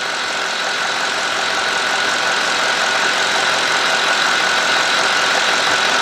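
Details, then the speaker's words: 2003 Cadillac DeVille 4.6 with complaint of rough running, surging idle and codes P0300, P0171, P0174, P0101, P0404, warmed up: steady, even idle at 649–650 rpm, constant hum with no misses, stumbles or surging; fuel trims near zero, normal idle. "Okay, I thought the engine was kind of racing, but it's not. It says 649, 650. That is perfect, man."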